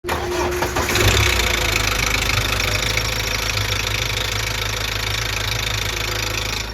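Cold diesel fires up into a busy idle, with a light rapid rattle over the clatter, about three per second: a worn timing chain needing replacement.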